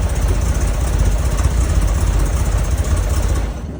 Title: 911sc rough start with vacuum leaks + backfire